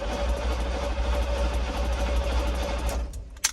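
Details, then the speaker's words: 1972 Chevy K10 4x4 with 350, sat 20+ years, first crank in neutral: quick even starter churn for about three seconds with oil pressure showing, engine spins freely but never catches; spark not yet checked. "Let's crank it over. There she goes. Here's the oil pressure. Cranking over is fast."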